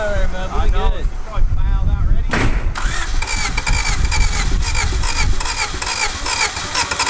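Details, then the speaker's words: 1991 Honda CRX Si barn find, seized and sitting 10+ years, first start: it catches after a short crank and runs rough and lumpy on two cylinders; spark is present at the cap, two stuck injectors suspected. "running by itself. Not very good. It's running on two cylinders."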